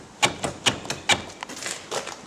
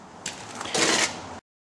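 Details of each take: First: 1974 VW Super Beetle driver's side door window regulator, still winds up and down but squeaky, with sharp uneven metallic clacks about twice a second; worn regulator rattling loosely. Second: Smooth, quiet ratcheting and sliding as the door window winds on a 1974 VW Super Beetle after removing and refreshing the window regulator; no squeak or rocking, healthy.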